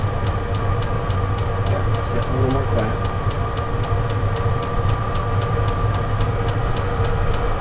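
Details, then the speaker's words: Portable diesel heater running on high inside a Clam X-500 insulated tent, about 45° outside: steady fan and combustion roar with quick even fuel-pump tick; quiet once fully ramped up, clean, no smoke, normal running. "once it fully ramps up I think it fights down even more nice and clean no B smk pretty quiet too"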